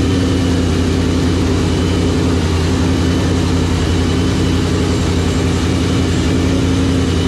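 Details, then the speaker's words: 2012 Paxton-supercharged Mustang (S197) with new Gen 2 shortblock, ARP head studs, new OEM gears and fresh oil: deep even idle, steady low drone, no tapping or knocking; sounds good. "sounds good sounds deep does it sound different"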